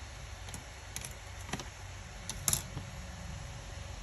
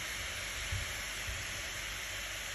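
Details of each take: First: Acer Predator Helios 300 gaming laptop after the overheating fan fix, with the fan below 6,000 rpm: low, steady fan hum with no whine or rattle, plus a few keyboard clicks. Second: Acer Predator Helios 300 gaming laptop overheating, fans around 5,800 rpm (GPU) and 5,769 (CPU); loud steady airy rush with thin high tone, fan running at excessive speed despite previous attempted fix.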